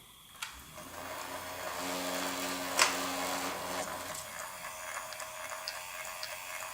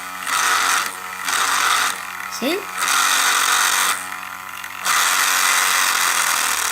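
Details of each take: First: Fisher-Price Cradle'n'Swing swing motor tested with the mobile tensioner disconnected during the startup grinding fix: small motor hums smoothly and evenly, vibrating slightly on the frame but with no grinding inside the assembly; normal motor run. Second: Fisher-Price Cradle'n'Swing at startup: high buzzing whir in bursts of about a second as the motor spins up, rattling because the motor sits with play in its plastic socket and vibrates at speed, not the gears; fix is damping the vibration.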